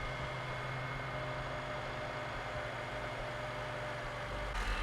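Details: Honda K24 idling after timing chain and intake cam actuator install: steady even low idle, smooth rumble, no chatter or ticking; normal idle, no leaks.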